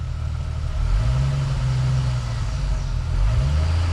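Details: Jeep Wrangler TJ idling after about 5–8 miles of driving, deep low idle that wavers and stumbles, RPM bouncing and worse in gear, while fuel pressure vibrates at idle but steadies above 1200 RPM; owner suspects fuel delivery, cause unconfirmed.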